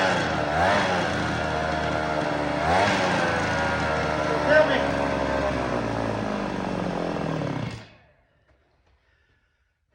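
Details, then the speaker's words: Vintage black-top Husqvarna 50 chainsaw, 50cc two-stroke, sat about 15 years, 80 psi compression: thin buzzy note never picks up, fades and dies after about eight seconds; owner suspects weak or stuck piston rings can't pull full fuel. "but I think the rings are just so weak. It can't pull full fuel up."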